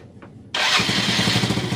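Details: Motorcycle left unused over the holiday that would not start from a flat battery, after half an hour of charging: engine catches at once and settles into a steady, even idle with a regular beat; starts and runs normally.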